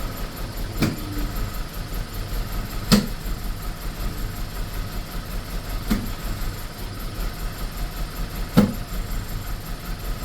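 Idle is uneven, with a sharp stumble every two to three seconds breaking the steady beat; the engine is misfiring.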